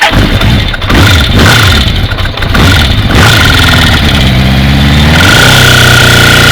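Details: Kawasaki GPZ550 motorcycle after a head gasket replacement and rocker timing adjustment, blipped then held at high rpm with a hard ticking, clacking clatter over the exhaust; cam chain is tight, so the tensioner is doubted as the cause.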